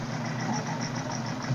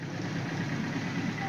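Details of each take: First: 1978 Suzuki GS1000C after carb cleaning, choke on: uneven lumpy idle with wandering beat and sharp pops/backfire; number 2 carb float needle held open by debris, flooding cylinder 2 and dumping fuel from overflow hose. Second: 1978 Suzuki GS1000C after replacing the stuck #2 carb float needle valve, with fresh gas and new fuel filter: soft, even four-cylinder purr at steady idle, no stumbling, no fuel leak; normal idle.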